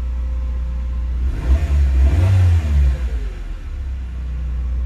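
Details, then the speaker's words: Carbureted GA13 Nissan B13 warming up after its no-start was fixed by rewiring the radiator fans back to the automatic switch: engine revs cleanly to a smooth peak for about two seconds and settles back to a steady, even idle; RPM described as fine. "ganda ng Menor Oh ayos na rin yung RPM niya okay"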